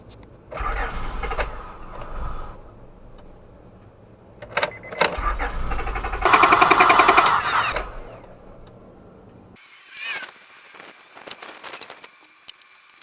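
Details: 1999–2004 Honda Odyssey 3.5L V6: steady starter cranking in a few bursts, engine spins evenly but never fires; no start from a failed fuel pump relay cutting fuel delivery.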